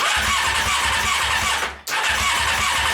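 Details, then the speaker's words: Honda CBR600 engine out of frame with plastics removed, starter fluid tried: starter spins steadily with a hissy whir but never catches; spark only intermittent, likely electrical issue. "not sparking now it just sparked once and it's not a continuous it's got a continuously timed spark it sparks every now and again that time didn't spark at all"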